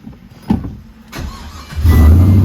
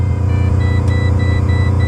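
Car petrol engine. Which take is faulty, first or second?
second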